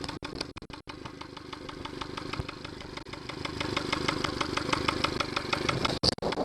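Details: Yamaha 70 hp outboard at idle, no alarm: uneven idle with sharp, fairly regular knock about three times a second and brief stumbles — fuel starvation from a Honda fuel connector used instead of the Yamaha one.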